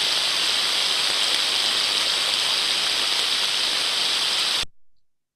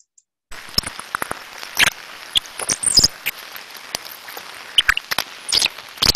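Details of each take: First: Ultrasound on the drive-end bearing of one of two like-for-like motors at 30 kHz, reading 29 dB (the baseline): smooth, uniform hiss with no crackle. The bearing is healthy but sounded slightly dry and could be improved by lubricant. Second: Ultrasound recording of a bearing at an extreme stage of failure: sharp, irregular, bird-like chirps and crackles over a quiet hiss, from lack of lubrication with physical damage occurring.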